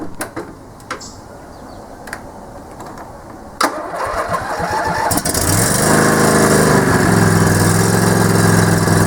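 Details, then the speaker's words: Yard Man lawn tractor with 20 hp Briggs Intech V-twin, run on a booster pack with no battery: a few clicks, then the engine catches and settles into a smooth, steady, even drone with no knocks or misses; normal running. "I'll show you that everything works, and the mower deck works, and it goes frontwards and backwards."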